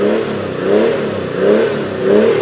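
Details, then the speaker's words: Mercedes OM606 diesel swapped into a Land Rover Defender, free-revved to the floor three times: pitch rises and falls cleanly with no knock or miss and only mild smoke; healthy, normal free rev. "It's That's That was That was down to the max, was it? >> That was foot to the floor."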